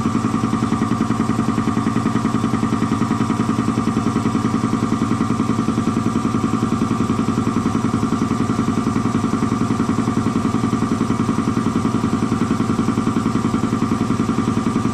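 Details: Air compressor slowing down after an oil change to synthetic oil, first thought to be tying up: steady pumping near 214 per minute, slow and laboured; a way-loose drive belt letting it lose speed, tightened afterwards, then worked fine.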